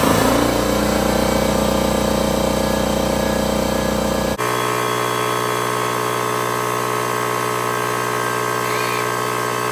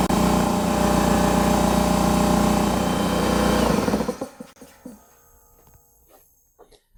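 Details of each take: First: Husky 33-gallon air compressor C331H after pressure switch replacement: air sander hiss stops and motor pump kicks in with steady, even hum as tank pressure drops. Normal compressor cut-in. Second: Husky 33-gallon air compressor C331H with bad pressure switch: steady motor-and-pump drone keeps running past 150 psi cut-out to about 152 psi until switched off by hand; compressor not shutting off.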